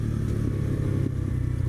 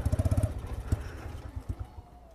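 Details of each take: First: New X-PRO 125cc Chinese sportbike, first ride while breaking in: steady low engine drone under way, even with no knocks or rattles; engine and transmission mechanically fine though it vibrates and needs tuning. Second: X-PRO 125cc Chinese sportbike, new: quick firing pulses then the beat falters, goes uneven and fades as the engine bogs; owner suspects low fuel.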